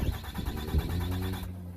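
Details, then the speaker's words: 2007 Dodge Ram 2500HD 6.7 diesel after a remanufactured TIPM was installed and reconnected. Rhythmic starter cranking for about a second and a half stops with no firing; it now cranks but won't start, cause unconfirmed, with module communication codes. "so i plugged everything back in for the tip um the connector kion engine off it still cranks over"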